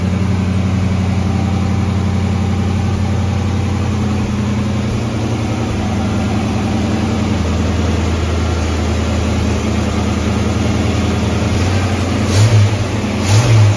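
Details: Ford Mustang carbureted V8, idle turned up slightly; the cause found was an air leak from the wrong gasket under the 1-inch carb spacer: steady, even low rumble with a smooth, unchanging idle and no miss or hunting, idling cleanly.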